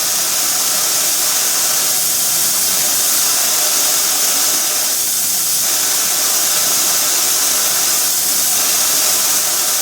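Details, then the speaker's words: Harbor Freight blast cabinet with a DIY metering valve. Mostly a rushing air hiss with brief duller spells; media arrives in dollops, roughly an estimated fifth of the time, otherwise just air, an inefficient feed. "It's coming up in in dollops, if you like to call it that. And I'm guessing for about 1/5 of the time there's media being delivered. For the other 4/5 of the time you're waiting, there's just air."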